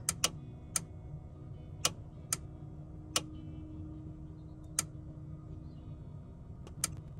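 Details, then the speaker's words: Relay wired to an Auxbeam AR-800 switch panel button set as momentary, in a Ford Transit campervan cupboard: sharp single clicks open when held and shut when released, over a low hum; switching cleanly, as intended. "so the momentary you can hear when i hold it down it clicks open and when i close it it clicks shut which is what i want"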